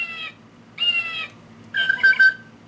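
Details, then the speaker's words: Singing bird clock, original movement: short electronic bird songs come out harsh, buzzy and distorted, low tones weird, some birds silent, clock mechanism stopping. "Um, another problem with this one is the birdies are very distorted when they sing or some of them don't even um sing."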